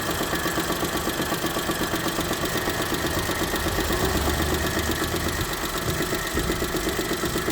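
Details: 2008 Daewoo Matiz at warm idle, valves already adjusted; perfect when cold but a fairly regular light tick about three a second appears as it warms. No oil use or smoke, good pull. Owner unsure whether this is normal.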